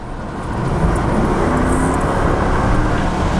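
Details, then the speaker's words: 2005 Lexus LS430 V8, rear-wheel drive, 200,000 miles, accelerating on the road from a roll: smooth, even low rumble building with heavy road and wind noise, quiet motor, no knocks or misses; normal acceleration. "Feels good, the engine sounds good. It's not a very loud motor. It's just a nice, solid exhaust kind of feel."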